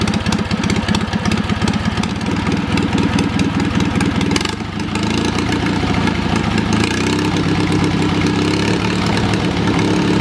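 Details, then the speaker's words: Wisconsin THD twin-cylinder engine after freeing a stuck exhaust valve with oil: steady putt-putt from both cylinders at fast idle, slightly choppy, until it ran out of gas; runs pretty well. "Despite the stuck valve, I will say it ran pretty good. It's a little bit choppy,"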